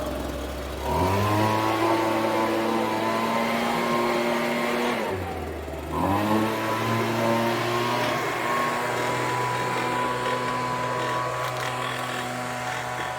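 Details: Homelite UT08572 30 cc backpack blower after repair: a steady high buzzing two-stroke note that dips briefly near five seconds, then climbs back and holds evenly; normal running.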